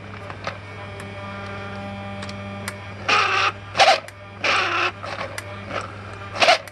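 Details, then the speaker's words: Mercedes SL600 electronic throttle body on bench test: short bursts of high buzzy whir from the internal motor driving the plate, clean and even with no grinding; normal actuator sound. "don't worry about the noise that's the internal motor unfortunately that's how it sounds"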